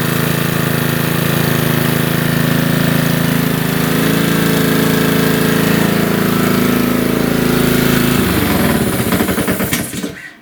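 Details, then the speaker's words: Honda-engined lawnmower after moving the governor spring to the second hole for more tension: steady, even high-speed drone at about 3200–3300 rpm with no hunting or misses, then shut off; governed speed now correct. "So what I'll do now is start it up again, and you're going to see on the tach here that it's going to be over 3000 RPMs."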